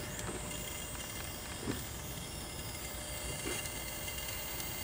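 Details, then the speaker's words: 1974 Montgomery Ward Airline 19-inch portable color tube television powered up: steady soft hiss with thin high whine and faint ticks as high voltage comes up; normal. "I hear some high voltage hissing"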